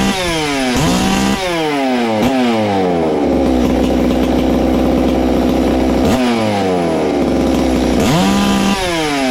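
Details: Ported Farmertec MS660 two-stroke chainsaw after adding a muffler-cover port, checking ignition timing and tach tuning (22° blowdown, 100 exhaust, 80 intake): crisp scream blips up and drops back, then holds a clean, steady high pitch at full throttle; noticeably louder, strong high-rpm running.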